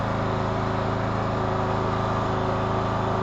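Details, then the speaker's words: 2014 Troy-Bilt Bronco, Kohler 17 HP, on cold start after about an hour, with new Hipa carburetor and gaskets and adjusted throttle control: even regular engine beat at steady speed, no stumbling or surging; normal running. "So we'll go cold start number 2 here. That's great. That new Hipa carburetor saved this Troy-Bilt Bronco. Amazing."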